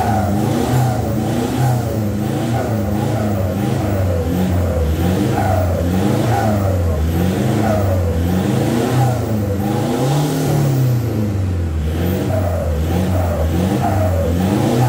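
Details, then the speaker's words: VNT turbo diesel after a full exhaust replacement with a new 3-inch tailpipe, the old worn tailpipe having made a metal-on-metal sound: deep, even exhaust drone with smooth revs rising and falling, no popping or rattles; healthy exhaust note. "ganti pakai til pad yang 3 in biar suaranya lebih sempurna lagi guys"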